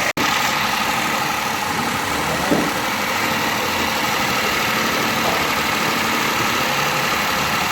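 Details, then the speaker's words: 2007 Toyota Vitz CVT after repair of starting trouble and misfiring: engine settles into a smooth, even idle with no stumbles or missed beats; misfire gone, running normally. "है माशाल्लाह का मुकम्मल हो गया गाड़ी start और India में firing भी नहीं कर रहा"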